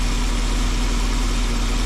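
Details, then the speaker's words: 1984 Jeep with V8, idle after wiring repair, muffler and catalytic converter fitted: low, quiet, even burble with no tapping or misfire; normal idle, so quiet it doesn't sound like a V8. "Man, this thing is real quiet. I want people to know this thing's got a V8 in it."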